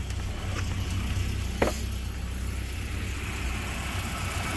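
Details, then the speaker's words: 1992 Volvo 240 daily driver after new fuel pumps, filter, plugs, wires, radiator, water pump and timing set: starts right up, low steady even idle with no knocks, misses or whines, runs healthy. "i'll start it up like i said starts right up idle is fine uh it's a good running car"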